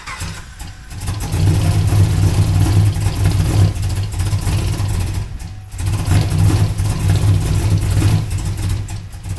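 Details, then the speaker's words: Camaro V8 misfire, running worse after new spark plug wires; lumpy and uneven, sagging and recovering; driver-side headers cold while passenger side is warmer; owner plans to check the driver-side valve cover and lifters. "it is actually somehow running worse with new plug wires"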